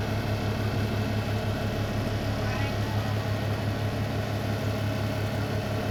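Steady low hum with an even pulsing throb about three times a second, loud and constant: the hood fan is vibrating as it runs.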